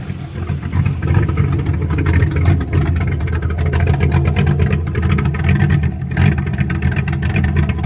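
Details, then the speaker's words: 1966 Toyota Stout after rebuild, running off the rinsed-out fuel tank with a new filter and warming up: a deep, even rumble with throttle blips that picks up cleanly with no misses or knocks; normal running. "love that sound more pressure is doing good all right we're warming up so it's good though"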